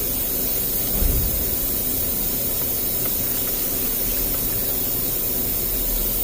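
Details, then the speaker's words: GM vehicle with a P0128 code, during a thermostat housing and sensor change: a bolt-on Mac Tools coolant evacuation tool draws air with a steady, even rushing hiss and no surging. It sucks normally and loses only a little coolant. "can hear it sucking. You lose just a little bit, but you don't lose very much."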